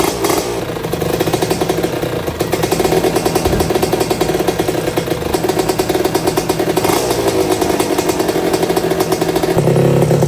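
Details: 1982 Suzuki RM125 two-stroke, first test run after restoration; a crisp crackle that picks up cleanly with each throttle blip and holds an even beat. The engine sounds healthy, with a cooling-water issue still to address.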